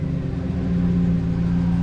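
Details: 2007 GMC Sierra idling after a crank-no-start fault tied to aftermarket remote-start wiring was sorted: a steady, even low rumble with no knocks, misses or hunting. The engine is healthy, though battery voltage reads a little low.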